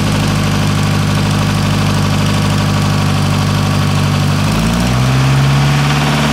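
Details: Nissan S13 with CA18DET engine, loud idle: uneven knock a few times a second that continues as revs step up; owner unsure whether the crank needs grinding, origin not confirmed.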